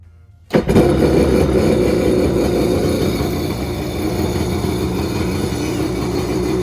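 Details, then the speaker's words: 1986 Kawasaki X2 two-stroke jet ski, first start in 35 years on premixed fuel after oiling the cylinders: silence, then catches at once into a rough, crackly idle that stays running; normal cold start. "fires right up man this thing sounds so good"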